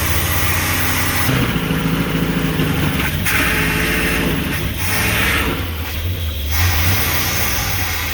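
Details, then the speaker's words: Old motorhome V8 on a road test: deep rumble swells, then sags and stumbles instead of picking up, bogging and refusing throttle; owners suspect fuel starvation, possibly fuel pump or clogged filters, not confirmed. "They don't like the beans! I think it's running out of fuel. We might need a fuel pump."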